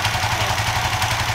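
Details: Suzuki FU FI 150 / GSX 150 with faulty tip-over sensor bypassed by a resistor giving 0.8 V (temporary fix): quick even exhaust pulses at steady idle, no misses or clatter; normal idle.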